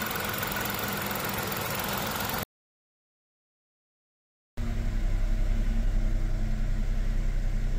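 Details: Chevrolet The Next Spark (M400) after camshaft position actuator valve replacement that cured rough running and power loss: even idle, steady pulse about three and a half beats a second, no stumbling; engine oil level found very low.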